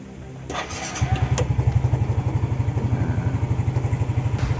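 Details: Yamaha Mio GT scooter after cleaning its electrical switches with sandpaper and WD-40: starter spins briefly, engine catches within a second and settles into a steady, even idle; healthy electric start.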